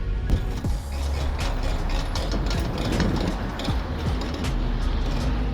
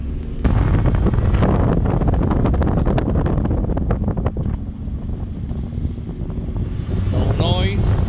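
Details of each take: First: 2000 Ford F-150 front brakes: rough scraping grind with irregular clicks at road speed, only once brakes and rotors got hot; calipers had no grease, and lubricating them cured it. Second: 2000 Ford F-150 after lubricating the front brake calipers, brakes very hot after about 45 minutes of driving: rolling and braking with only road and wind rumble, grinding gone; a slight squeak, probably from the rear brakes.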